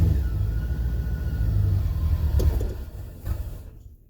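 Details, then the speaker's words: 1985 Chevrolet C4 Corvette, starts then dies with barely any fuel pressure (about 10 psi at the Schrader valve gauge): low, uneven rumble that sags and fades out within about four seconds; fuel starvation from low pressure, fuel pump suspected. "okay i barely got any fuel pressure at all i'm gonna get maybe 10 psi"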